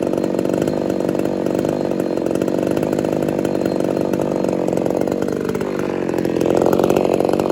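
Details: Ported Homelite Super XL-130 chainsaw test-cutting a tree after adjustments for an idle screw that was turning by itself: steady, crisp high revs through the cut with no surging or bogging; normal running under load.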